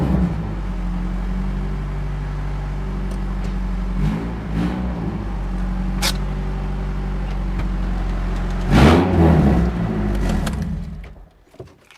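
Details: 1989 Honda Prelude, third generation, running for the first time in 14 years: low, lumpy drone with uneven surges as it's revved, sounds horrible; no definite cause from the noise, though smoke earlier was traced to the catalytic converter.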